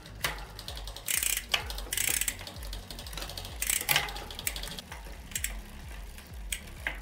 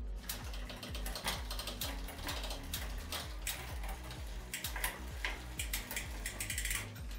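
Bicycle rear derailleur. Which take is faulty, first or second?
first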